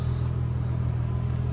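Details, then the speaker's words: Ford Mustang 4.0 at idle after replacing idler and tensioner pulleys to cure a loud belt squeal: steady low hum, no squeal or chirp; accessory drive now quiet. "And as you can see, it's quiet as can be. So I'm gonna mark that down as a success."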